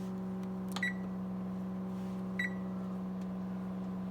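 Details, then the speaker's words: Range oven: two short, clear electronic beeps about a second and a half apart over a steady low hum. The timer beeps normally. "including it still works good including the timer still work you can hear the beep"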